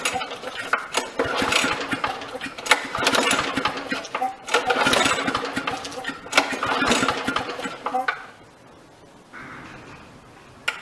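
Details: Victa 375 Briggs & Stratton lawnmower, long stored, with fuel and spark confirmed: repeated pull-cord strokes every second or two, engine spins but never fires; cranks without starting.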